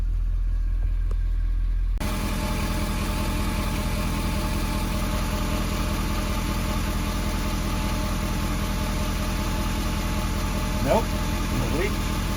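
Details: 2015 Ford F-250 Powerstroke diesel just after changing both fuel filters and oil, started after priming cycle: low even diesel idle with steady clatter and no stumbling or hunting; idling smoothly.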